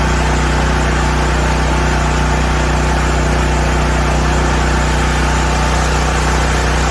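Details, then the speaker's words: Black Max 7000W single-cylinder generator with Motor Snorkel tri-fuel kit, running under a 3000 W load before opening the low block further: steady drone with slightly uneven beat, about two per second, bogging; lean stumble under load. "You're Gonna Hear It stumble and then I open up the low block a little bit more we're going to start off with 3000 Watts"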